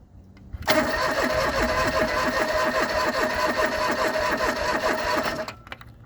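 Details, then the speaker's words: John Deere 445 fuel-injected garden tractor, parked about 8 years unstarted, cranking with zero fuel in the tank: about five seconds of steady cranking at roughly 2.5 beats per second, never catching. No start, out of fuel. "All right, so I found out my initial attempt there wasn't going to work because I had zero fuel, not just low fuel."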